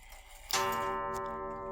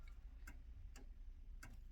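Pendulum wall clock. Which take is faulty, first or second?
second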